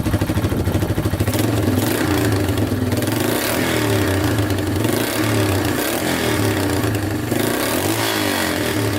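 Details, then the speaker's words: Yamaha Wolverine 350 4x4 ATV (last registered 1999), single-cylinder, after carburetor clean and fresh fuel: revs cleanly up and down without choke, no stumble or bog, though still smoking heavily; owner plans to check oil. "still smoking pretty good but uh revs out without the choke now all right so it definitely runs a lot better with that carb clean"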